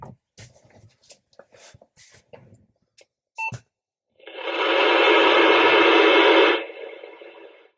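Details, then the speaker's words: CB radio newly installed in a work truck and tested inside the shop. A quick beep, then a couple of seconds of loud hissing static that tails off; the owner suspects interference from the building and plans to test outside. "That's not real happy making that sound. So I'm going to take it outside and see if that's just because I'm in my bunker known as my shop."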